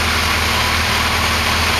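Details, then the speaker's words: Kawasaki Concours ZG1000 four-cylinder after carburettor synchronization: smooth, even hum with no lope or hunting, steady throughout; balanced carbs give a normal healthy idle. "u can see that the engine's running very very smooth"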